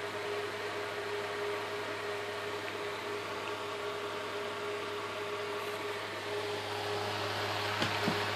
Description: after years of being at the cabin. the bearings in it is toast.